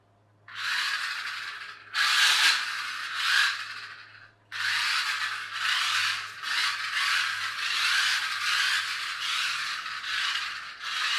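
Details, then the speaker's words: Loud, harsh buzzing in short bursts from a toy car gearbox with a 3D-printed replacement gear, run on the floor; seemingly noisiest in reverse, with some wheel-spin noise mixed in. New proper gears are to be tried. "I'll just run this on the floor for a second so you can hear how noisy it is"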